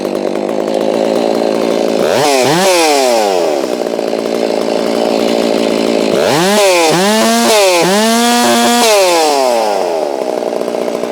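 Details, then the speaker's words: Holztfforma G660 chainsaw after the low-speed screw was turned in about 1/16: at full throttle it screams with a slight four-stroke burble at the top, which shows a correctly tuned high end. The low end still needs adjustment, and a tach check is planned. "I don't know if you can hear that though, but right at the top, it 4 cycles a little bit, kind of goes ah, and that's how you want it to be tuned. You don't want it to be clean the whole way."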